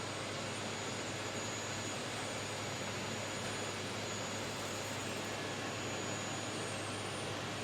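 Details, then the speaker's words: Elegoo OrangeStorm Giga large 3D printer running its vibration calibration, first on X then on Y: an even buzzing hum with a faint high whine as vibrations pass through the metal frame; normal resonance calibration. "Yeah, so it's vibrating back and forth. You can hear the different vibrations going through the different metals."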